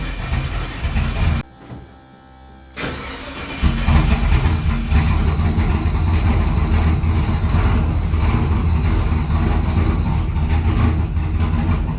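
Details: XG ute's first start after converting from carburettor to Holley EFI: cranks, goes quiet, then catches and settles to a steady low idle; reluctant start; it later fired without throttle once the idle screw was turned up a fair bit.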